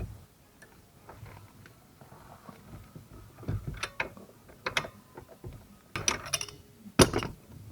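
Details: 2005 Toyota Corolla E120, steering column removed and worked by hand: irregular hard clunks and ratchety clicks. The electric power steering worm shaft bearing, already replaced once after heavy play, is being checked again.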